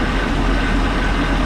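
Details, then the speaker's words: Boat engine after unwinterizing, warming up at idle (not yet above thermostat temperature): steady low run with a faint thin whine; owner suspects water pump bearings, unconfirmed, hopes it smooths out. "got a whiny almost sounds like the bearings in the water pump and i sure hope it ain't hopefully it'll smooth out and quiet"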